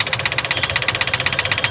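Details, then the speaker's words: Engine knock, about fourteen sharp even taps per second over the idle of a CNG-fitted engine; debris that fell in through the plug hole of cylinder three, leaving marks on the piston and head. "िलेंडर वापस वापस तीन number cylinder पे कचरा बचरा कुछ है उसका plug का गया है इसमें प्लग निकलवाया था इन्होने तो उसका कचरा गया था य निशान हैय पूरे उस पर जाकर लगा है इसकी वजह से इसमें टक टक की आवाज बन रही थी"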